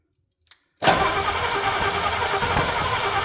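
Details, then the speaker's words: C30 engine on its first start attempt with no coolant, run only briefly: it catches and runs rough and uneven with a sharp pop back through the intake. Owner suspects timing may be 180° out; not confirmed. "oh we're coming back through the take a little bit I hope we're not 180 out we might be"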